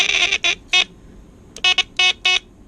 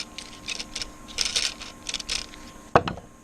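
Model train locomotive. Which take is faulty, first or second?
second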